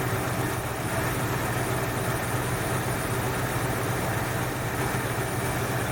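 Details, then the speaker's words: 1968 Ford Fairlane carbureted V8 after fixing a carb flooding problem, air cleaner off, idle set slightly high: steady, deep, even rumble that doesn't stumble or hunt; idling smoothly. "right about there sounds good"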